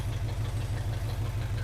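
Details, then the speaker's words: 1980 Chevrolet C10 Cheyenne V8 at first start, idling through loud aftermarket exhaust; deep, even throb, steady pulses, no misses or knock, running on all cylinders. "but the engine sounds like it's not knocking or anything"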